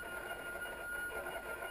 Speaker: I don't think refrigerators are supposed to make that kind of noise. You hear it? Yeah, I don't think that's supposed to happen.